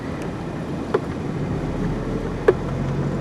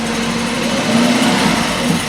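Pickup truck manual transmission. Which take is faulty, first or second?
second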